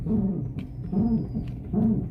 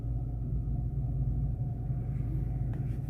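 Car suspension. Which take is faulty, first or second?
first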